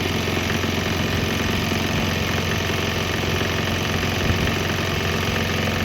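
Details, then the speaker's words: Swan X 165F Chinese single-cylinder diesel running on straight used canola (fryer) oil; steady thump at a fairly even beat, no misses or stumbles; normal running. "think that kind of proves it. It'll run on straight canola oil, straight used canola oil, which means I'll probably run on straight used vegetable, regular straight up vegetable oil, and who knows what else."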